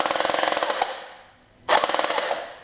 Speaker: here that metal metal contact and that's not good you don't want to hear that you want to hear just the electric motor smoothes contact you don't hear metal on metal